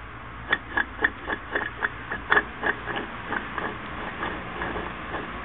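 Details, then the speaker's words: Yamaha Big Bear 350 YFM350FW eBay-bought differential turned by hand: uneven clicking about twice a second, gears sticking and skipping on worn, completely shark-toothed gear teeth. "There's no top of them. They're completely shark-toothed."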